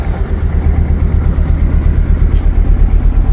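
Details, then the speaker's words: 2000 Chevy S10, oil greatly overfilled by oil change shop: rough lumpy idle jumping about three times a second, bad misfire, service engine soon light; oil-fouled plug suspected, plugs to be replaced. "it runs a bit rough oh it's a bit rough service engine soon low fuel lights on we got oil pressure a lot of oil [Music] pressure so we got a bad Miss that's about it"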